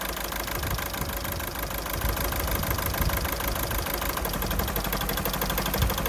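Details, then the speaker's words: 2009 VW Golf 1.6 TDI (CAYB, 90 bhp) diesel idling roughly with uneven lumpy thumps, running on two cylinders: cylinder 3 injector faulty (P0203, P0606) and cylinder 2 connector unplugged for testing. "running on two cylinders okay as you can hear the engine is running on two cylinders"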